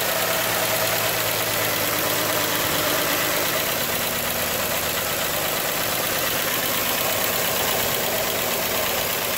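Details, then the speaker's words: 3.6 Pentastar V6 van idling before repair: quick, steady tick over the engine hum from the rear head (bank one), caused by a broken roller rocker arm; fixed by replacing the rocker and camshaft. "There's no reason for me to bench the bank two here, when it's ticking from the rear head. Now, I have the broken rocker arm and the camshaft right here."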